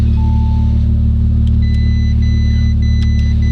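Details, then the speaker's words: Rebuilt 2019 Audi RS5, put into drive for a wheel-spin test: deep, smooth, steady rumble in gear with no knocks or grinding, faint music behind; oil level checks fine. Normal running. "it's running perfect like literally perfect oil level everything so ready"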